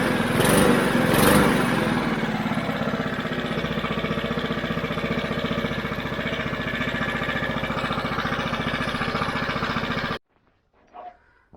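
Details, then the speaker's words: Mountfield HP 414 petrol lawn mower that started then died, after cleaning the dirty carburettor: single-cylinder engine idles at a steady even beat without hunting or surging and revs up cleanly when manually revved. "I think to be running a lot better [Music] now not down it's not revving it's not going all over the place at all and when I manually rev it it revs up"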